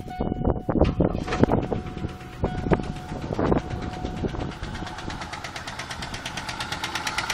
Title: Engine knock